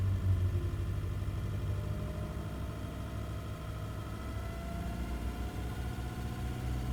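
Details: Nissan Navara engine at low, steady idle with a faint uneven thrum underneath; the noise shows between 750 and 2000 rpm and its source is unclear; abnormal engine noise.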